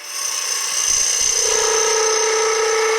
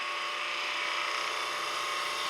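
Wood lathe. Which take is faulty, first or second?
first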